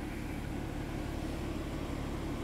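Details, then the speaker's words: 2013 BMW 3 Series F30 N55 after fixing unmetered air leak (hard start, stalling, rough idle, mass airflow plausibility code 101F01): steady even low idle rumble, no misses or hunting, check-engine light off, no fault codes; normal idle. "que no tienen códigos aquí y vamos a nuestro DME y nuestra luz de verificación del motor está apagada ralentí bien no hice nada excepto para leer los códigos"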